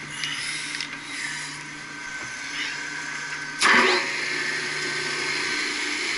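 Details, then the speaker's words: HVAC pump motor the customer complained was noisy: constant hissing, whirring whine with a rough edge and a brief bang midway. Bad bearings were found, and the pump was removed for bearing replacement. Motor bearing noise. "that's the bearings boy that's the bearings bud"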